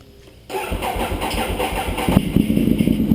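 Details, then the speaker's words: 2009 Ducati 848 with competition slip-on exhaust, after repairing a disconnected fuel pump hose and adding fresh gas: short cranking that took a few extra turns because the fuel hoses were empty, then catches and settles into a strong, lumpy twin beat; normal start. "oh yeah that's what I like to hear it took a few extra cranks but that's expected uh since the fuel hoses were empty"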